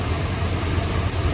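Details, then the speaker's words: 1972 Chrysler Imperial LeBaron V8 idling lumpy, shaking and missing; a plug wire was previously found bad and temporarily replaced, loose rocker suspected; pulling wires one by one to find the misbehaving cylinder. "so i want to see if this thing's got rocker that's come loose or something mechanically so you see how it's shaking and it's missing"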